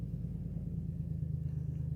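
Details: 2007 Dodge Caravan 3.3 L V6 after extended crank: rough, lumpy idle with uneven low thumping, a cylinder dropping out; P0202 injector circuit and P0302 misfire codes; wiring or PCM fault suspected; customer's parts replacement failed.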